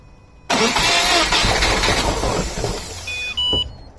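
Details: 2013 Subaru WRX Limited 2.5L, second engine at 46,000 miles, no start: starter turns the engine briskly about two and a half seconds but never fires; cranks, no start.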